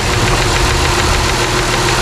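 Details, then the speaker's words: Chrysler 300 at warm idle after misfire work, still a slight miss at idle: light, quick ticking over the petrol idle, a valve train tick of unknown cause, possibly lifter. "Oh, you guys hear that? Lifter tick. Or not lifter, kind of, I don't know. Got a tick in the valve train somewhere."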